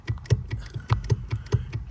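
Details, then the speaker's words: 2006 Subaru Impreza WRX brake pedal after greasing pedal parts: light sharp clicks about five a second as the pedal is rocked; free play because the brake pedal switch sits too high. "You can hear just that little clicky play that's there. So, we'll just get rid of that."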